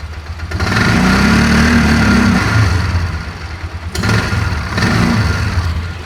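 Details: 2004 Polaris Ranger 6x6 after head gasket repair: idles steadily, but each throttle blip swells then sags without climbing cleanly, so it hesitates in the upper RPM range; owner suspects carb needle set wrong.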